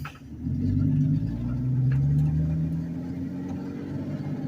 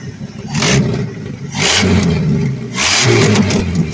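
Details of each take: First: 1984-89 Ford F-150 (84 front, 89 cab) with granny four-speed, crawling in low first gear without throttle: low, even rumble, steady and unlabored, no misses or knocks; healthy idle. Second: Old Ford farm truck, believed 323,000 miles, running with no air cleaner, some vacuum leaks and a slight skip at low idle. Loud, raw V8 roar surging in waves from a big exhaust leak at the head, where the manifold nut is missing and loose.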